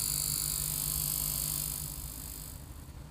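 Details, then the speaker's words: Line 6 Helix LT with no guitar plugged in and volume at full: constant low buzz with a thin high whine coming purely from the output. "all right so this helix scene goes LT is making a buzz like that super annoying"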